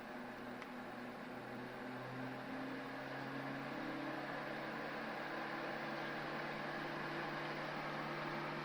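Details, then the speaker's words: Titan TTC-SC21 roof fan installed in a campervan, running at 60% and blowing outside air in: a steady airy rush with a low, even hum. The owner suspects the hum comes from crude mounting letting something touch or vibrate; otherwise it is not loud. "Tak jak słyszycie jest szum. Jakieś lekkie buczenie jest, ale to być może dlatego, że ja zamocowałem to po prostu po prostu po bandycku, nie?"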